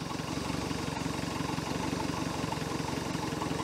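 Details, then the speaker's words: 1973 Larson boat, Mercruiser 120hp 2.5L four-cylinder, started dead cold after over 50 hours sitting, choke partly shut: steady, even cold idle with no knocks or misfires; running fine. "that's from dead cold over 50 hours of sitting"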